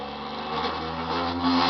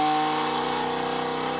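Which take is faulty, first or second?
first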